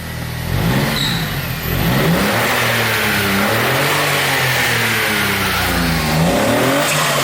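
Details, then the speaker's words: Turbocharged Smart engine first started after fitting a new water pump, before final installation: revs climb and drop smoothly with clean steady note, turbo now clearly audible, no knocks or misfires; healthy. "wow what a difference you can actually hear the turbo"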